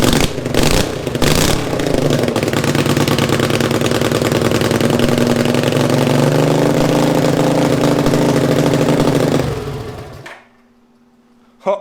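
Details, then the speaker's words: 500cc single-cylinder racing mower build on its first run: the engine holds high revs, then the pitch creeps up on its own before a sudden cut to silence. It is surging; the owner assumes it was running out of fuel, cause unconfirmed. "switch works i think it started revving up because i'm starting to run out of fuel i'm assuming"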